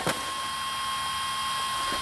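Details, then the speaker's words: Small heater fan on a freezing day, run from an off-grid tiny-house solar system with a refurbished forklift battery bank: steady airy hum with no knocks or rattles; normal fan running. "That's stupid that the fan runs with regardless. It's freezing outside and the fan runs. That's just a waste of energy, really."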